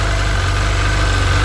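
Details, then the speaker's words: Sea-Doo 951 DI after custom rebuild, air system fed shop compressed air at a steady 80 psi, fuel pressure steady though reading high against the 107 psi spec; deep, even idle around 1450 rpm with steady low thrum, no misses or surges; normal idle. "here we're running smooth steady we should be idling at around 1450 rpm that's perfect"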